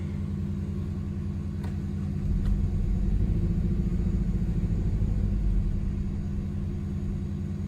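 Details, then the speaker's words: 2008 Mazdaspeed3, 161,000 miles, running on jump cables: uneven lumpy low rumble with a loping beat about three times a second, shaking badly and then dying; misfire. "maybe I should change these spark plugs in the ignition coils first before I really try writing it but that's not really okay it's running like garbage is shaking so much"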